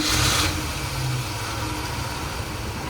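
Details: 1987 Dodge Ramcharger 360 V8 after sitting for decades, with aluminum intake swap, rebuilt Holley carb and total timing reset: catches, settles into a steady strong idle and revs cleanly with no misses.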